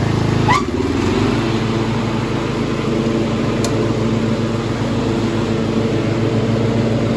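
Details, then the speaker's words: 1995 Craftsman LT4000 lawn tractor, engine refitted after a sump gasket replacement, oil leaks fixed, no battery fitted: after a quick catch it settles into a steady, even idle with no misses; the carburetor still needs work. "but I mean, yeah, it's idling nice. I mean, I could lower it a little bit, but that's about good."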